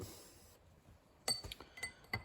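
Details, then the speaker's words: Ford/New Holland tractor front hub, new bearing being driven on: four sharp, ringing metallic taps, crisp and solid, struck on each quarter, showing the whole bearing is seated square. "You hear the impact like that. You want to hear the impact like that on each quarter, so you know that the whole bearing is sitting square."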